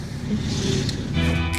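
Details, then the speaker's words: Audi A4 B5 engine running as bought, before power steering pump replacement; steady whining tone over the low engine rumble, blamed on the failing power steering pump. "Well, this is because of the power steering pump, which is supposed to assist the steering and is not supposed to sound like that."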